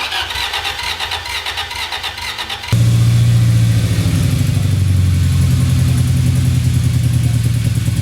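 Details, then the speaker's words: 2002 Toyota Celica with flashing check engine light and misfire code: uneven, lopsided cranking as the starter doesn't fight compression on one stroke, then a lumpy, shaking idle with ticking exhaust; one cylinder with no compression. "that is a cylinder with no compression and the starter isn't having to fight the compression on that stroke"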